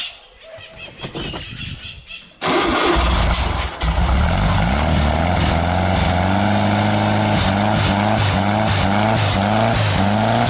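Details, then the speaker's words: Freshly rebuilt air-cooled VW Fusca (Beetle) engine, first start on break-in gasoline with a new exhaust: cranks, catches and runs with an uneven, lumpy beat, hard to keep running; smoke from the exhaust pipes, possibly a leak, cause unconfirmed. "não conseguir manter ele ligado eu vou vir aqui eu vou dar uma acelerada boa nele para ver se agora a gente consegue manter ele"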